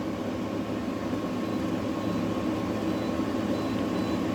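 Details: Newly installed GE AWFS10WWL 10,000 BTU window air conditioner, turbo pressed with no audible difference; an even, steady airy rush with a faint constant hum, no rattles or squeals. Running normally.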